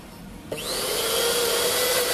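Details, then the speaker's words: Mixer grinder after carbon brush change for sparking and oiling the armature: after a click motor spins up to a steady, even high whine with no rattle or scraping; runs smooth, repair OK. "पहा मित्रांनो, आर्मेचरला oil केल्यामुळे एकदम smooth झालेला आहे आणि आपलं काम okay झालेलं आहे."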